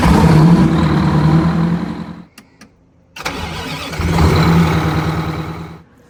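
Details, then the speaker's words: Detroit diesel bus engine after a heavy traditional starter was replaced with a gear-reduction starter: two quick bursts of strong, even cranking with a short pause between; turns over fast, normal cranking. "Here we replace a traditional, very heavy Detroit starter with a gear reduction starter. It uses less power and it turns over much faster."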